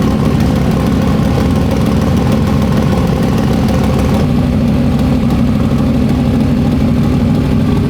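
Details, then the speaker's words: Fresh 421 small-block Chevy V8, carbureted, not yet broken in, first start: loud, even, crisp idle with a steady low rumble and no knocks or misses; normal idle. "It does sound good. It hasn't broke in yet. Dude, it sounds good. Yeah. It's way more crisp than the other motor was."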